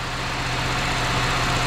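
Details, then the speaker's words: Chevrolet Malibu 305 V8, first start after about 20 years of sitting, running after fuel pump confirmed working; even, steady low idle with regular beat, no stumbles, idling cleanly. "it runs good oh Chevrolet 305 baby fuel pumps working was that the issue all along we don't know"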